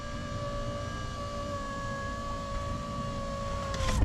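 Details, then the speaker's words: Car power window that would not go up in cold weather, after WD-40 where it bound, possibly a stiff, old seal: even steady motor whine as the glass rises, firm thump at top, closes fully with no anti-pinch reversal. "Elle remonte totalement sans problème. Donc voilà, petite astuce si vous avez ce problème."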